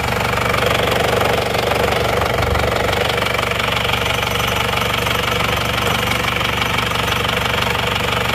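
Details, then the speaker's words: Isuzu Panther diesel after repair, warm at 79 °C after a test drive, idle rpm still slightly high: steady, even clatter with no misses, surging or hard knock; oil filler check shows only oil vapour, no smoke, engine normal. "Ternyata asapnya cuma oli saja ya. Jadi sudah oke juga ini kondisinya. mesin rata. Nggak ada asap, normal."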